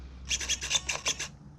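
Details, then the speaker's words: Savox servo on a modded .32 nitro RC car whose throttle was catching, checked for endpoints: seven quick crisp buzzes as it sweeps, silent between moves with no humming, chatter or glitching. Healthy servo. "quiet quiet quiet quiet quiet listen no humming no dinging zinging glitching none of that crap savvo servos are great servos guys"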